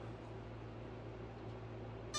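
Low steady electrical hum, then a clear tone as the battery connects; normal speed controller startup beep before arming.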